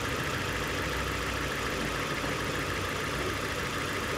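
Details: 2002 Nissan Sentra 1.8L with a P0300 code: rough, slightly uneven idle under a steady hiss. Misfire from a damaged cylinder 1 ignition coil, possibly crushed because that spark plug was not seated flush in the cylinder head.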